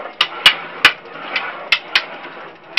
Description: knocking noise appears to be coming from the rear hub or rear bearings but its very difficult to pinpoint exactly where.